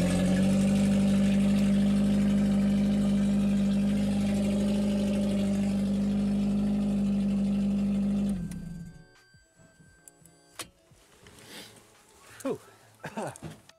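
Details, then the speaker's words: Corsa with newly fitted 1.8 engine conversion, first start after the swap with no exhaust fitted: very loud, raw, steady blatting idle for about eight seconds, then cut off. Engine running without exhaust. "but just to hear that one point a turn over very loud because it hasn't got an exhaust on at the moment but just to hear it turn over is amazing"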